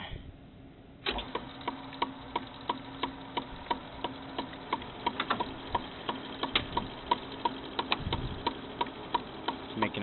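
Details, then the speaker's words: Frameworks ball lift, lower pulley wheel starting up: sharp regular knock about three times a second from the worn pulley bearing; sometimes the wheel hits the housing, this time the knock is inside the bearing. Repositioning the belt can sometimes stop it. "a knocking noise sometimes that noise it's making is the the wheel hitting against the housing here other times it's actually down inside the bearing which is where it's at on this time"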